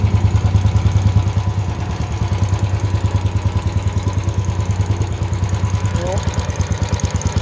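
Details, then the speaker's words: Honda generator after a no-start tune-up (carburetor cleaned, oil changed, fresh gas), first start with choke on: steady, even putter with clean regular firing, no misses or surging; normal idle. "Look at that. idling perfect. That right there. Quality."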